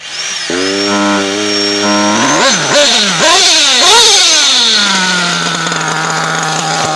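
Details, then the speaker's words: RB-modded Nova 28.8 nitro engine with Pico pipe: high buzzy idle, then at full throttle revs surge and sag; high-speed mixture too lean causing bog, cured by richening the high-end needle. "I can't really lean this thing because it just you can't, you hear it when you get on it, you can hear it bog a little bit."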